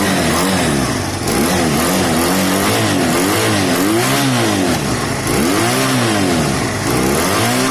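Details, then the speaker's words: Honda CB250 cafe racer project with new fuel line and reseated carb gasket; clean even blips settling to steady idle, rides well, only a tiny stumble low down and a little smoke; normal running and idle. "the engine sounds good i'll take it for a little bit of a spoon so guys couple of things it it rode very well it's a tiny bit stumbly on the bottom end nothing major"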